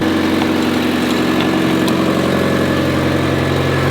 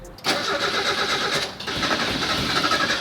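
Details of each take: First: Mazda Miata barn find, idle just after first start in 3 years with good oil pressure, oil unchecked, brakes seized. Steady, even idle with a light ticking chatter on top, no misses or knocks; running smoothly: normal idle. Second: Barn-find Mazda Miata sitting 3 years, fresh gas added: long cranking, engine catching a few times before running; slow start, owner thinks fuel pump just started picking up.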